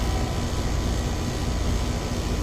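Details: Ameristar 4-ton AC condenser in 106F heat after replacing a bulged, failed Genteq capacitor with a Mars 60/5: steady deep hum with even fan rush, no buzzing, rattling or hard-start clunks; about 18 A draw, running normally.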